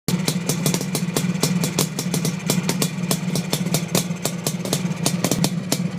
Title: Suzuki GT500 Misfire